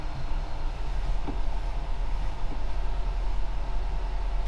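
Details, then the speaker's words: Square-body GM crew cab with 4-bolt-main 350 V8, sat 12 years, started with just a new battery; deep smooth even idle rumble, no knocks or misses, loud fuel pump noted: normal idle. "She is happy as can be, guys. Heck yeah. The answer is yes. She starts up and runs beautifully."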